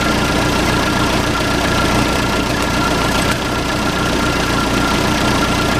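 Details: Case 580C backhoe diesel, sat 10 years, started with ether, no coolant: steady, even diesel clatter at idle, no misses or heavy knocks; runs cleanly, normal idle.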